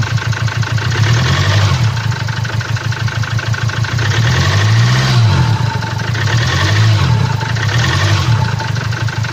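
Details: 2017 Land Rover Discovery TD4 diesel, 2.0 L 150 hp, engine code 204DTD, 175,719 km, at idle: hard, uneven knock about three per second over the engine note, caused by a defective fuel injector.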